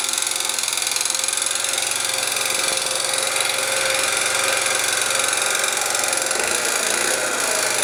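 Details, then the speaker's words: Scooter engine with new crankshaft, piston (0.04 mm piston-cylinder clearance), camshaft, chain and tensioners; muffler, variator and ignition were checked. It still makes a sharp, ringing tap about four times a second at idle. "а мопед всё равно [музыка] стучит вот такой вот звонкий к идёт из двигателя непонятно почему"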